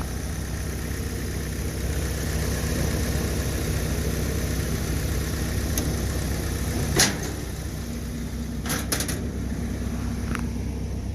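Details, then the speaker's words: Old Willys with F-head four-cylinder engine, apparently intake valves in block and exhaust in head, new-looking distributor: low, soft, even idle with muffled exhaust and a few stray clicks; running smoothly. "where's the exhaust pipe on this thing it's got a muffler there it's so quiet"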